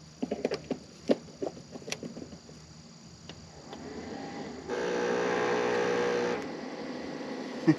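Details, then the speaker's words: Nearly 50-year-old electric cement mixer, freed with WD-40 after sitting unused, on a 1000-watt Jackery solar generator: clatter then steady low hum about 1.5 s with no run-up; motor stalls, same sound as when frozen that morning. "So that looks like that would be a negative, but that's the same sound it made when it was frozen up this morning."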